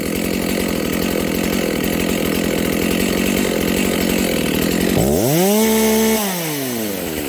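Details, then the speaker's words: Dolmar 7300 chainsaw with the high-speed jet opened fully to the limiters: labours through the cut, then free-revs to a high, thin scream. It sounds slightly lean to the owner; possible lean high-speed running. "Okay, friends, again, this thing, the high jet, is turned out as far as it'll go. And it sounds a little lean to me, so I'm gonna make a few quick cuts, but that'll be that."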